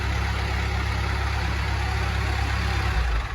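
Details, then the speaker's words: Telehandler diesel with recurring fuel-supply problems (it dies after starting; fuel lines later replaced): with the key off, the deep idle keeps thumping before stumbling and dying, i.e. running on. "I just turned the key off, now it won't even shut off. Why is that?"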